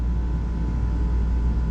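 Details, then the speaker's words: Johnson Controls water-cooled packaged heat pump in a ceiling, not cooling: compressor just started after the water valve actuator opened; R-410A, suction pressure starting low then recovering; steady deep hum with faint constant tone, no knocking, running evenly. "compressor just started this is refrigerant 410A back pressure started a bit low but it's coming back"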